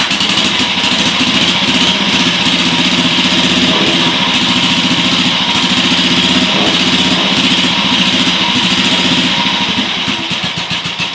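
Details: BSA M20 single-cylinder, first startup after restoration: started perfectly, even crisp beat about four a second, steady with no misses or rattles; normal running.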